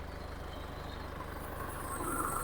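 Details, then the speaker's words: 2006 Isuzu D-Max Hi-lander, 2500 cc stock engine, manual gearbox, idling. Steady, even diesel clatter with a smooth low rumble and no stumble or shake; no smoke or black exhaust. Healthy idle. "ฟังเสียงเครื่องประมาณนี้ครับเครื่องไม่สั่นไม่สะดุด"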